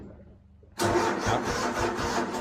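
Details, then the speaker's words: Craftsman GT5000 lawn tractor, Kohler Pro 26 hp engine: brief cranking, then it runs rough and lumpy with clicking repeating a few times a second; owner suspects a connecting rod. "the motor does tur it does run i guess but it makes a lot of clickety clock noises and runs really rough so to me that sounds like a connecting rod or something"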